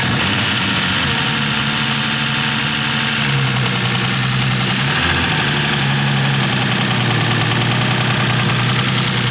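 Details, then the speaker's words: BMW E36 with freshly built engine, first start-up after swap: steady idle with loud, fast ticking layered over it; hydraulic lifters haven't pumped up yet, lifter tick on first start. "All right, those lifters are crazy loud."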